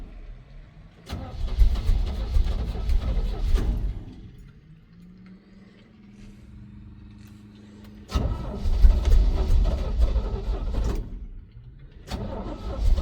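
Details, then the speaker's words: 1971 Chevrolet C20 truck, 350 V8, sat at least a year with cylinders lubed with oil. On a still-charged battery it cranks for a few seconds, catches into a short hum that fades, then cranks again: it fires briefly then stalls. Owner suspects bad old gas. "I'm actually surprised that the battery still got a charge and kick in. [clears throat] Oh, she fired up. Yes. No."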